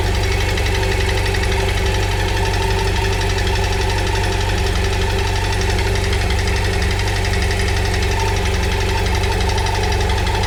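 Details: BMW F800GS motorcycle at steady idle: a fast, uneven ticking knock rides on a low drone with no change in speed; the source of the strange engine noise is unclear.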